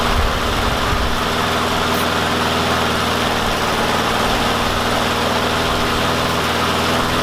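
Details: Yard Machines mower with a Briggs & Stratton single-cylinder engine, running again after a no-start fixed with a wire-brushed spark plug and carb cleaner: an even, steady putter with no stumbling or hunting.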